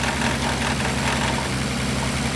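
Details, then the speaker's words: 1962 Austin Healey 3000 BT7 with rebuilt head and carburetors after rodent damage, at idle: a light, tinny rattle throughout, caused by the hood hinge slightly hitting the body. "it looks like the rattling sound that you've probably been hearing throughout this video the hood hinge is slightly hitting the body here"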